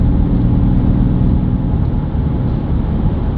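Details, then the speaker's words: BMW F11 530d xDrive, 416,000 km, driving at about 100–120 km/h: steady low hum under road rumble from the rear, starting about 60 km/h and rising in pitch and loudness with speed; worn rear wheel bearing suspected, differential less likely, front bearings new. "die Geräusche treten so ab 60 KH ein und ja werden mit zunehmender Geschwindigkeit lauter und hochfrequenter ne was ja so in der Form fürradlager spricht"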